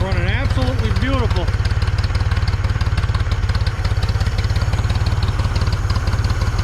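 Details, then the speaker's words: 1974 Ford 3550 industrial tractor, revived after 18 years sitting and recently seized: steady, even low idle chug with regular beat, no misses or knocks, "running beautiful"; radiator coolant very green but seems okay. Normal idle. "looks like this radiator is going to be okay i was a little nervous because it's pretty damn green but uh running beautiful running"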